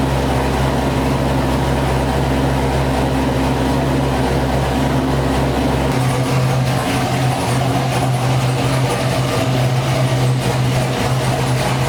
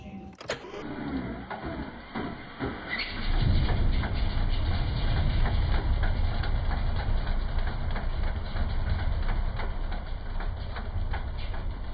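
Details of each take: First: Chevrolet Corvette C6 V8 on its first start after failed lifter replacement: a steady, even idle with a smooth low drone and no ticking or knocking. It is warming past about 220°F, with air in the coolant; the valvetrain sounds healthy. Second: Chevrolet Corvette C6 LS V8 at idle, close-up: deep lumpy rumble with faint quick tick about three per second; owner suspects a failed lifter, to be replaced with lifters, trays and head gaskets.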